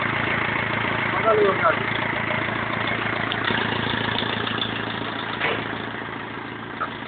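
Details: BMW E46 320d 150hp diesel, first start after engine overhaul following swirl flap failure: steady, even diesel clatter at idle with a couple of light throttle blips, running smoothly; normal diesel idle.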